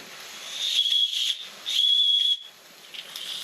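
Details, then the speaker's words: Stirlingkit model beam engine under steam after its valve gap was modified from 10 mm to 7.9 mm: high steady whistling hiss in two half-second bursts, steam raised again; safety valve lifting normally. "So, uh, with the improved valve, we've got steam up again and safety bars lifting"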